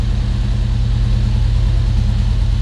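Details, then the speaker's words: Volvo 145 on Weber carburetors, back on the ground with brakes fixed and Webers seemingly in tune, warming up: deep, steady idle rumble with an even beat, no misses or knocks, running much nicer than before. "so now it's running much nicer what it used to"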